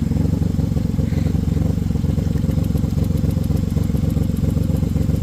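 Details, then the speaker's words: Car with P0300 random misfire code at idle: faint sharp ticking snapping in time with the engine; a spark plug wire deep in the engine was contacting a metal component and arcing to it. "the clicking sound I hear it back there so I think it's arcing out on something"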